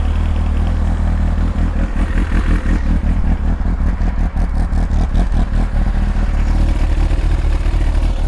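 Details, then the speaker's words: Kawasaki ZX-9R just after an oil and filter change with about 4 liters of fresh oil, slightly warm with the choke off: warm idle with a few quick throttle blips that rise and fall cleanly, no rattle or misfire; healthy. "yeah she sounds good [Music] oh you sound so good [Music] oh I love I love the sound of this bik"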